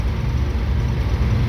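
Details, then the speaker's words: Mr. Heater Big Maxx 80,000 BTU natural-gas garage heater, after repair to cure noise and vibration: steady low even hum with no knocking or shaking, normal fan running. "seems like it's working quietly nice a table fan i hope it will stay like this"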